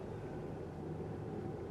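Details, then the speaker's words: Police auction vehicle: steady low engine rumble shifting into reverse with a throttle stab, with no clunk, whine or grinding; normal. "reverse there's no crazy noises from going into reverse give it a little stab of throttle"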